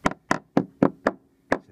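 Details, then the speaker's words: Hammer taps on worn small-yacht teak decking: seven crisp, short taps dying fast with no rattle, sound teak well adhered to the underlying deck. "what you can hear here is sound teak that's well adhered to the underlying deck."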